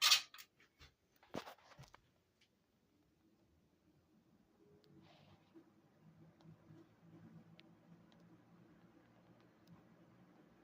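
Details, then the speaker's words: 1960s Lasko General DeLuxe 12-inch box fan Model 1200 with two-speed motor, replacement cord, sitting on a towel, on low speed: a few handling clicks, then a soft, even hum and airflow with no rattle; normal running on low. "This fan has a very, very nice low speed to it."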